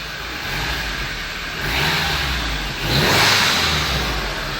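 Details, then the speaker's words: 2013 VW Fusca TSI, engine noise case: after new original VW timing chain kit and reassembly (intake cam variator found with excessive play), engine started at idle, revs cleanly, no knocks or rattles. "o funcionamento do Fusca aí ó ficou o comando kit corrente Acabei de funcionar ele a chave lenta"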